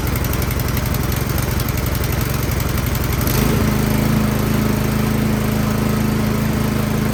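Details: Troy-Bilt Storm 2410 snow blower, small single-cylinder engine, after carburetor cleaning (fresh gas now mixed with old); started without priming, via power cord, catches and settles into a steady, even run with no stumbling or surging.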